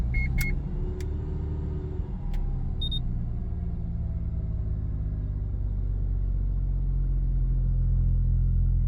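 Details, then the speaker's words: Mazda FD RX-7, mostly stock with catback, dead cold start: idle oscillates quickly up and down with slight shaking. Only happens cold; fixed by re-enabling the double throttle control system, replacing its vacuum line and check valve. "so here we are from a dead cold start uh you'll see the idle kind of oscillate"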